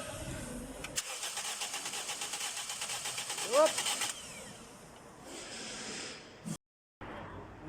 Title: toyota yaris crank no start code P0351, P0352.. ignition coil.